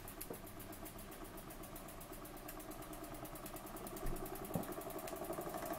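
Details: Burnac Vulcan model steam engine running under steam: quiet, regular chuffing ticks at an even pace; running steady and sound.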